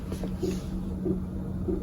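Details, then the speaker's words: Diesel air heater in a bus conversion, holding 18C: faint steady tap roughly every 0.6 seconds over a low hum, the heater's fuel pump clicking against its bracket because the rubber mount is missing. "you can hear a little tap, tap, tap. That's the fuel pump, but you don't hear it at all."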